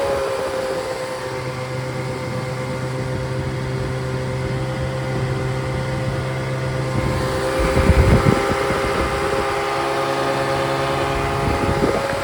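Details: Rebuilt Triumph Spitfire/MG Midget 1500 engine (shaved head, flat pistons, 270 cam, enlarged intake valves, new rocker shaft, bearings, double timing chain, double valve springs; 80+ psi oil pressure cold, 30+ hot idle, 190 psi compression): smooth steady hum, clean rev climbing and settling back; normal running.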